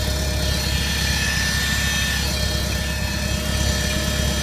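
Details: Car serviced a week earlier running loud and droning with a steady whirring tone right after a morning cold start; noise lasts about 30 seconds then returns to normal; cause unknown.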